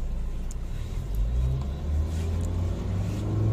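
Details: Nissan Terrano (Duster platform): engine revved to about 3000 rpm and revs hang there instead of dropping back to normal idle; idle speed hang after revving, cause unconfirmed, scan planned.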